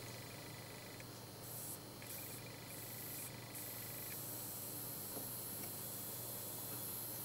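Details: Bench power supply board (about 19.6 V max) under resistor changes (R34, R26, R27): thin steady high whistle cuts in, drops out, returns; audible oscillation not cured by resistor swaps or shielded wires.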